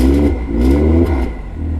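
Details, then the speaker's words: BMW M2 LCI with iPe exhaust and factory valve actuators, revving, heard from under the car: tinny rattle over the exhaust drone, worse with valves open; suspected exhaust valve solenoids/actuator spring tension. "Rattle? Yeah. So it does it worse when the valves are open."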